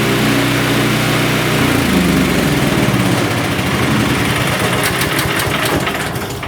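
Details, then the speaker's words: Champion chipper shredder, kept indoors, engine started with choke on: runs steadily and smoothly but too quietly, with no cutter whirr, since the blades that should always turn with the engine are not turning; engine cranks easier. "Now remember when you start these, the blades are supposed to turn with the engine all the time. They are not turning. So it's a lot easier to crank the engine over."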